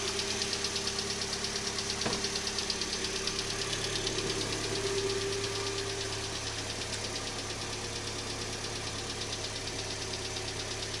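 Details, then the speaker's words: 2012 Hyundai Elantra petrol engine at cold morning start-up: quick, even, crisp ticking about three per second, louder on the passenger side, lasting up to 5–10 minutes after initial startup. "so this is the noise that it makes in the morning and it sometimes it does it as much as 5 or 10 minutes on initial startup"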